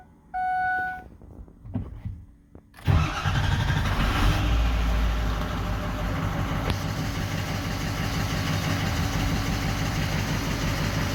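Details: 2004 Ford 6.0L Powerstroke diesel after repairing damaged wiring: chime, short crank, fires promptly and settles into a steady even idle clatter; crank-no-start fixed, normal idle.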